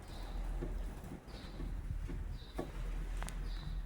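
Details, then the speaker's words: 2016 Ford Escape, outer tie rod removed from the knuckle: faint, irregular clicks about once a second as the tie rod is pushed in and out, from play in a worn inner tie rod, which is being replaced. "When I move this in and out, there is play, and maybe you can hear the knocking sound or clicking sound that the inner tie rod is making."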